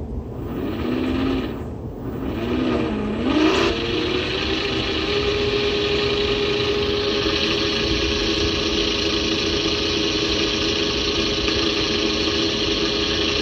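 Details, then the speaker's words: 400W three-phase alternator run as a motor at about 69 V: spins up in seconds, then a steady hum with a loud rough bearing hiss; bearings sound pretty bad, owner plans a run-in to quieten them, cause not confirmed. "but those bearings sound pretty bad"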